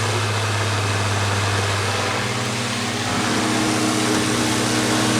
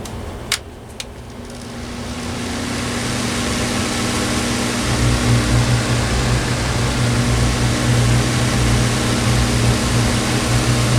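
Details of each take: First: Older Honeywell HT-803 turbo fan tilted back, running with a rough hum and shifting tones over the air rush from noisy, worn motor bearings; also bad when level; a bushing shim fix is attempted before repair. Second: Older Honeywell HT-803 turbo fan after fitting bushings to quiet its noisy bearings: switch clicks, then a steady, smooth hum without grinding. The noise creeps back after running a while but stays quieter, a partial fix.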